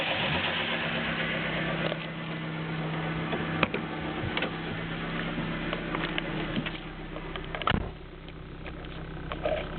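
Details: Nissan Micra 1.0 16V petrol engine idling unevenly with a light, irregular ticking faster than the firing rate. Noise improved after tensioning the belts; owner says only valve tapping remains. Valvetrain tick suspected, unconfirmed.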